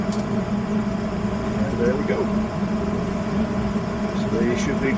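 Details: Westinghouse 90% furnace at a daycare with a bypassed main limit, after ignition with the blower on: steady airy whoosh over an even low hum, no scraping or rattling; running normally.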